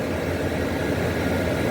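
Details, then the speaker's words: Whirlpool Designer Style 25,000 BTU window air conditioner, R22, Bristol reciprocating compressor, first start: steady, even low hum under airflow hiss, no knocking or rattling; compressor runs smoothly, air discharge very cold. "But yeah, this Bristol sounds pretty contented, and for the first start, and who knows how long."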